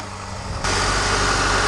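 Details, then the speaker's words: Lada Niva idling after drive belt replacement and new spark plugs: a steady, even idle with no squeal or chirp from the belt area, where it previously shrieked; sounds healthy, normal idle. "Beautifull!! I Like it! I like it a lot! Yes, my first fix!"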